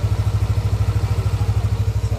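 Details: Yamaha NMAX V1 scooter, warm, after parts were replaced to cure a knocking, rough-sounding engine that was also consuming oil: an even low putter at about eleven pulses a second with no ticking or rattle. Normal idle.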